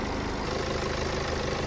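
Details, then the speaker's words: BMW 3-series 2.0 L diesel, July 2014, 283,000 km (also stated as 260,000), idling with the engine cover removed: even, steady low clatter with no stumble or knock. The rattle was the cover, not the engine; faint vibration passes to the body, possibly through a mount. "Бачите, двигун і не дрожить. Це кришка ця дрожить, а двигун не дрожить."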